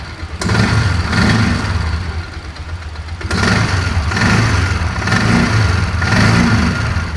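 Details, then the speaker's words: 2004 Polaris Ranger 6x6 UTV after head gasket replacement: idles evenly but revs rise in slow swells that flatten out, no clean climb in upper RPM range; hesitation at high RPM, owner suspects carburetor needle set wrong. "Doesn't want anything in that upper RPM range, though."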